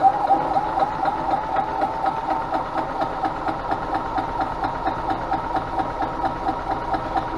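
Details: Yamaha G16A (2000) golf cart engine after a rebuild; it previously made a very loud racket and wouldn't go. With fresh oil, filters and a new spark plug: a steady, even single-cylinder putter at idle with no knock or rattle. Runs clean and healthy.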